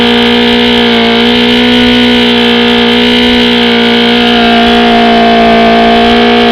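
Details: OMC 125 hp outboard on a dyno after replacing the bad VRO fuel pump: a steady, even two-stroke drone at constant pitch with no stumbles. It runs well without pumping the primer bulb, so the fuel delivery problem is solved.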